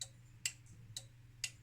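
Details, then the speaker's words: Soar Corp 7400 linear DC power supply (0–25V 1.5A, about 15–20 years old): sharp relay clicks about every half second over low mains hum as voltage is dialed around 13–14 V; normal transformer tap relay switching to reduce series regulator loss. "There's a relay. So this is a transformer tapping, and this is a good way to maximize efficiency or lower the loss, lower the voltage over the series regulator."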